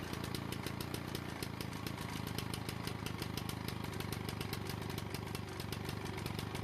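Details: Lawn-Boy mower after brake cable replacement, once flooding cleared: small single-cylinder engine putters at a steady, even beat with no misses or surging; running normally.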